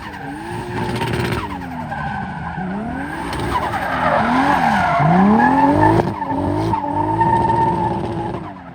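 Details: BMW E36 with 2JZ engine swap, drifting at a track day: engine note rising and falling over tyre squeal, rough and uneven on throttle; misfire under load. Logged AFR jumping and running rich; owner suspects it needs retuning.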